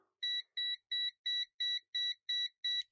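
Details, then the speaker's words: Gas sniffer held near the leak area: steady high beeps about three per second, evenly spaced; detector alarming on the gas leak, though gas may have partly ventilated. "And with the gas sniffer right now, even if I just sort of hold it in this area, it will probably start picking up gas where it was earlier, but it might have ventilated itself out now."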